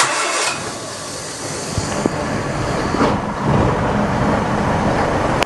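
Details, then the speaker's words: Whitby Morrison ice cream van, first start after engine change and exhaust pipe refit: catches quickly, steady even run, no puffing or ticking from exhaust joints; normal idle, no exhaust leak. "No blows. Huh? No, hang on, let it warm up."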